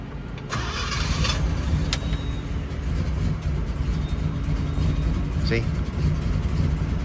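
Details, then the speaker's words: 1967 Pontiac GTO convertible, 400 HO V8, factory 4-speed wide ratio, 355 rear; fired right up without pumping the pedal, settling into steady even V8 rumble with no stumble or misfire; normal healthy start. "right up. I didn't have to give it any pumps."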